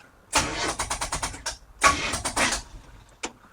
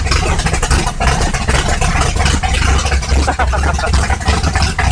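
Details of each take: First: 1955 Chevrolet big-block V8, 12:1 compression, stock starter, first start: slow labored cranking in uneven bursts with pauses and no catch; dead, weak battery. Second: 1955 Chevrolet big-block V8, borrowed battery, about 32° timing, belt a little loose: deep even rumble with steady firing, no knocks or misses; normal running.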